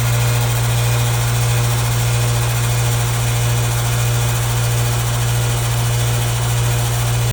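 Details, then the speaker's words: Builder-grade AC condenser about 20 years old, rusted on top with insulation coming undone, recorded at startup before replacement with a new Trane 5TTR5: a loud, heavy steady hum with a coarse rattling buzz, excessively noisy. "All right, as you can see, this one is extremely noisy here."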